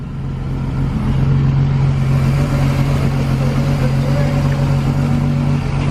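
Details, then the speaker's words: 1999 Regal 1800 SLR ski boat, 4.3 GL V6 MerCruiser inboard, sitting 12 months, just started on a new battery: steady low rumble with an even beat around four per second, no knocks or misses; sounds all right. "[Music] sounds good so it sounds all right"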